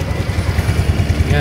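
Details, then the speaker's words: Yamaha Mio i 125 scooter after repair, previously starting briefly then dying despite a new spark plug; wires and fuel pump refitted, now idles steadily with an even low putter, no stumbling. "Ayan na mga boss umaandar na siya. Kanina hindi to umaandar mga boss. Aandar lang konti tapos mamamatay. Ayan ngayan umaandar na siya."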